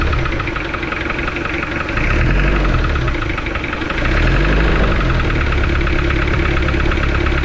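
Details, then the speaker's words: Toyota engine that overheated from water jacket leak at block between engine and transmission: heavy rough idle with uneven knocking clatter, about four a second; water entering cylinders 1 and 2, exiting exhaust; head removed. "Yun, napansin nyo mga boss, sobrang lagatak ng andar ng kanyang makina. So dito sa pagkarinig ko ng andar ay pinababa ko agad yung cylinder head."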